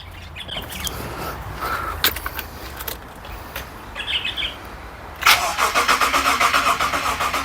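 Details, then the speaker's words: Subaru EZ30 H6 engine freshly resealed and refitted in a Liberty wagon, fuel pump disconnected to build oil pressure; starter whirs with an even beat of about four pulses a second, engine spinning freely without firing: normal oil-priming crank. "I've got the fuel pump disconnected for now, so I can prime the motor, get some oil in it."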